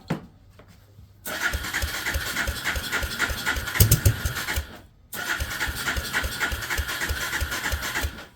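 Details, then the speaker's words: Suzuki LT300E ATV after spark restoration work, new spark plug, brake clean sprayed in: steady starter cranking at about four beats a second with weak putters but never catches and runs. "She wants to, but it does make putter putter sounds."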